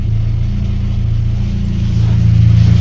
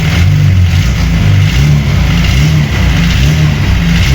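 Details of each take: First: VAZ 21099 after cylinder head replacement and repair, ventilation fan off: deep even engine drone builds smoothly with revs, no knocks; sporty exhaust, engine healthy, gearbox whine quiets with clutch pressed. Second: VAZ 21099 after engine repair, warmed up with the fan cutting in at 101°: deep engine rumble with a rough, uneven low rattle through the revs; the gearbox is noisy, not the pistons, and the exhaust also rattles.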